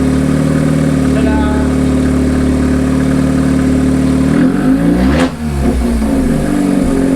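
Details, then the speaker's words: Mazda 13B rotary engine swapped into a Willys GPW jeep, first start, run briefly while cold: smooth buzzy idle, then a quick clean blip of revs falling back to an even idle; rotary runs healthy. "did you hear that exhaust this thing sounds good enough"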